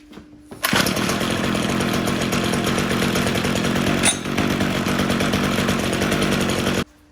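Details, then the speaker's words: Junk weed eater trimmer, two-stroke, started on fresh fuel after priming and choke: snaps into a high steady buzz, holding evenly six seconds before cutting off; runs healthy. "Well, that was easy. Trimmer's running."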